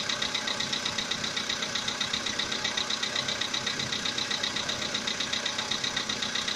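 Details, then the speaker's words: VW Polo Sedan with the CFNA petrol engine at 80,000 km idles with a steady, sharp knock about twice a second, audible even in the cabin. The knock began about 3,000 km earlier. "Застучал мотор. Ну, даже в салоне слышно."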